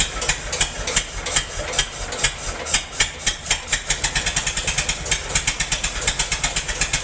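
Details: Massey-Harris 44 tractor stored 10 years in a semi trailer, with burned points replaced: the engine stumbles with uneven, lumpy beats and gaps as cylinders 2 and 3 misfire; owner suspects stuck valves, plugs or wires; a stuck intake valve was found.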